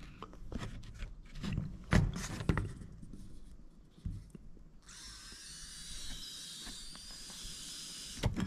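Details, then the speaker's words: Mercedes W110 naturally aspirated diesel: handling knocks, then a steady airy hiss as air is blown through the fuel prefilter, whose bottom seal was crushed by engine vibration, causing an air leak. "a entend une fuite il y a une prise d'air voilà tout simplement"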